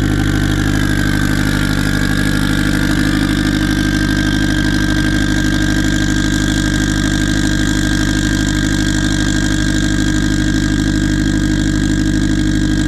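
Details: Turbo car on E98 fuel, runs rich on the low end, kept under 4 psi. Steady, fairly even idle with a constant drone; unhappy running from a tune made for a 6466 turbo with 105 housing while a Precision 7675 is fitted.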